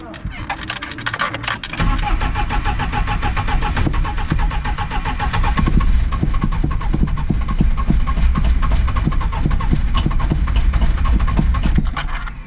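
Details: Polonez car standing unused since August, cranked after heating the glow plugs, fuel not being drawn up: starter churns the engine at a brisk, even beat for about ten seconds but it never catches; cranking no-start, cause suspected, not confirmed.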